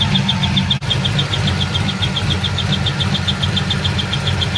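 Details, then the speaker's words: Car idling after the shifter broke and was fixed: rapid high chirps, about seven a second, over a steady idle. The squeak seems to stop when the belt stops, and the owner hopes it is a belt or pulley; the belt was already replaced once. Not confirmed. "looks like the squeak noise does stop about when the belt stops so that will be fantastic if it is just like a belt or a pulley"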